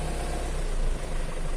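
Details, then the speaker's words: Used Isuzu Elf minibus diesel at idle, checked while buying: smooth, even low rumble with no knock, stumble or vibration, quiet; engine sounds healthy. "ini masih enggak ada getaran sama sekali masih senyap ya masih halus dan suaranya bisa kalian dengerin Hai dan tidak terlalu berisik"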